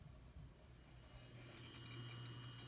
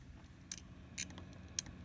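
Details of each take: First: Known-good hard drive in an HP computer, heard at power-on as Windows loads. Steady low hum with a faint high whine and light, soft seeking underneath, even throughout. Normal hard drive sound. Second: Failing hard drive in an HP desktop PC during the BIOS diagnostics hard drive test, which reports failure. Faint sharp clicks come about every half second over a low hum as the heads click.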